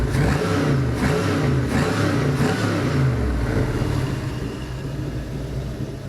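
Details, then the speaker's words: LM7 5.3L iron-block V8, 862 heads, 151k miles, drive-by-cable: throttle blips snap up cleanly and return to steady idle, no misses, knocks or smoke, runs clean; normal free revving. "No smoke, runs clean, smells delicious. I would not be afraid to put this in any of my vehicles and drive cross country."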